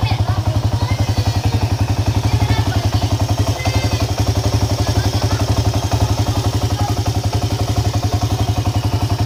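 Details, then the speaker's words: Honda EX5 Dream small motorcycle engine knocking at idle, loud harsh thump about four beats a second; suspected loose flywheel (magnet) nut or loose cam timing sprocket screws, not confirmed. "Gimana masalah engine ini bunyi kasar dan bunyinya itu memang cukup keras juga lah punya dia itu"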